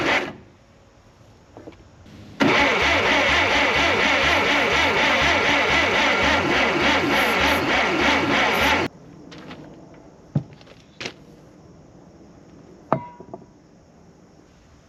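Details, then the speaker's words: Narrow-front Farmall M tractor four-cylinder after head reassembly and carburetor rebuild, fuel turned on: even starter cranking at about two turns a second for six seconds that never catches; cranks but won't start because the spark plug wires are on in the wrong firing order. "see if the spark plugs are sparking. It's because I have all the spark plug wires on backwards."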